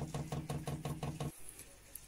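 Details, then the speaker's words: Cheap all-in-one 12V Chinese diesel heater (Eberspacher knock-off) on a boat, before firing up: quick even ticks about six a second as the dosing pump primes diesel through the line, battery around 12.4V drawing under an amp; normal priming. "so it's pumping diesel through which point is all over the place twelve point four roughly twelve point four and is using point something Alice"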